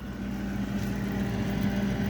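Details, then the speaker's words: Frigidaire refrigerator compressor running rough after startup, with a steady low hum and uneven grumbling; unit is suspected low on refrigerant charge, freezer ices up, cause not confirmed. "going pretty rough shape going here eventually you'll start hearing the noise"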